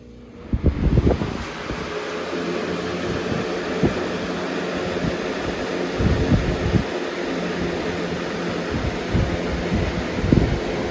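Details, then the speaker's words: 2005-06 Lasko Premium box fan model 3723 on high: steady rush of air over a smooth motor hum with a few bumps; normal running, powerful and fast. "this fan is very powerful and very fast for what it is"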